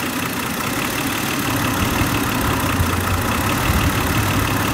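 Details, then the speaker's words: 2008 Hyundai Santa Fe 2.7L with P0305 code, slow acceleration and shaking at stops: uneven idle with irregular stumble under a steady rumble, occasionally firing correctly; bad plug or spark leaking from cylinder 5 coil boot suspected. Ignition misfire. "every once while you i don't know if you can hear the the engine will change and it'll hit we either have a bad plug or we've got spark leaking out of that coil boot"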